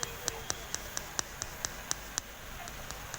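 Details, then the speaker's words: Creative home theater speaker set with no sound, after shorting the middle two pins and pins one and four: light returns and crisp clicks about four a second come from the small speakers, then fade; set is fixed and passing signal again. "दोस्तों kit kit की आवाज़ सुनाई दे रही है। तो इसका मतलब हमारा सेट अब ठीक हो चुका है।"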